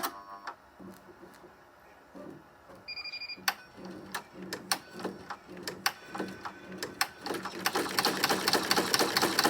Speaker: Okay, so this area of the video, I'm leaving the volume at 100% so you can hear how this SWF MAS-12 sounds when it's stitching out. It stitches beautifully,